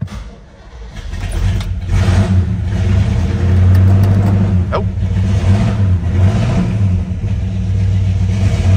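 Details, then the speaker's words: 1968 Pontiac GTO V8 with glass-pack exhausts, cold start on half a tank: cranks, catches and settles into a deep loping rumble with a slightly raised cold idle; runs smooth and healthy. "listen that sound take a look here you can see that it is indeed a cold start half tank of gas"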